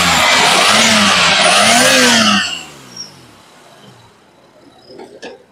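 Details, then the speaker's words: Lexus 300 V6 just after a sequential LPG conversion (58-litre cylinder), running on LPG; it shakes when LPG is switched off: revs sweep up and down cleanly with an even note, no misses or knocks; healthy engine. "আপনার গাড়ি যেটা চাপ দিলে lock করতেছে, মানে এলপিজিতে চলতেছে। LPG বন্ধ করে দিলেই গাড়ি কাঁপতেছে। ঠিক আছে, আপনার আল্লাহর রহমতে ইঞ্জিন সাউন্ড শোনেন।"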